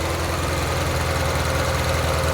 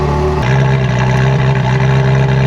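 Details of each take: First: 1994 Euro-spec Ferrari F355 idling with spark tester on cylinder 4, plug wire off: uneven lumpy idle with a hollow stumble; strong spark, but pulling the wire barely changes running, so cylinder 4 is not firing. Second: Euro-spec 1994 Ferrari F355 back in the shop shortly after a full inspection with a rough-running miss. In this clip the engine note is clean and even, climbing smoothly through the revs with no stumble or break-up, sounding healthy.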